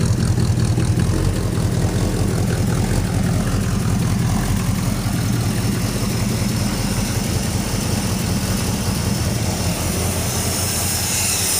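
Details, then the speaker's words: Plymouth Suburban wagon, carb just cleaned again and rebuilt, ignition parts all new, must run rich to idle, vacuum lines capped except timing advance: uneven stumbling idle with exhaust-leak chuff; misfire, owner suspects intake manifold leak, unconfirmed. "you probably hear it now i do have an exhaust leak"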